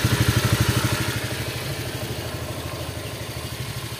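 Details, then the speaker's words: Honda Vario 125 scooter after head and block rebuild, idling; steady tok-tok tapping about three per second from worn CVT roller sliders, not replaced to keep budget low; engine otherwise smooth, no smoke. "halus suaranya untuk bunyi tok tok tok tok tok itu di bagian klip rollernya kita enggak ada penggantian di situ"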